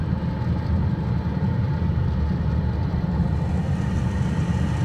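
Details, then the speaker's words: Pentair MasterTemp 250 gas pool heater, service heater light on, pool not heating: exhaust blower fan drones steadily but no flamethrower-like burner whoosh follows; burner fails to ignite, suspected safety sensor or switch not permitting gas. "you'll turn the full heater on you'll hear the fan kick on but then you will not hear the burner try to kick on after that"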